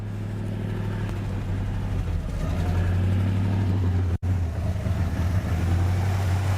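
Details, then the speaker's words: 1967 Buick GS 340, first run after sitting a long time: a low, steady, even V8 rumble with no knocks or misses as it warms up; oil pressure and water temperature are fine, and smoke (possibly fuel smoke) is clearing. "well she runs yeah that's ignition it's all right at least now we know she runs she circulates she gets all everything we need oil pressure water temp"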